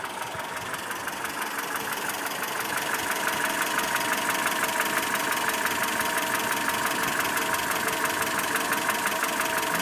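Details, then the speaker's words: ZMZ 402 fully warm at idle, about 650-700 rpm, oil pressure about 2; dull ringing knock about three per second, diesel-like rumble; cause found as piston pin-to-connecting rod play in all 4 cylinders. "вот звук на холостых оборотах. Именно такой вот глуховатый. Этот вот перезвон, когда сбрасываешь газ, полностью на холостые уходит. Дизельный рокот какой-то."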